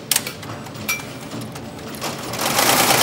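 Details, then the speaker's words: ZSK JF08 embroidery machine after repair of a power drive (shaft driver) that failed electrically from overload when loose rayon thread wrapped and seized the main drive shaft: quick, even needle clatter about three strokes a second with light whir, sewing normally, no problem. "It's obviously sewing beautifully. You can hear it from there. No problem at all."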